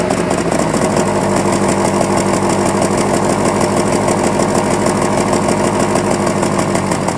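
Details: Cold morning idle of a 2001 Honda Prelude, uneven lumpy exhaust beat with stumbles; check-engine codes cylinder 2 and random misfire, black tailpipe, burns 1 qt oil per 1,000 miles; owner suspects worn rings, compression test pending.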